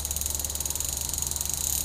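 Fast, even, crisp ticking at roughly twenty clicks a second while coasting; the pawls are ratcheting cleanly as they should.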